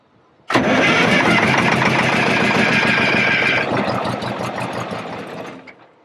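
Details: Custom MCI MC-8 coach RV, air-controlled rear start after sitting for years: cranks briefly, catches with a loud uneven roar and smoke that slowly settles; gallops on first start because the governor components are worn.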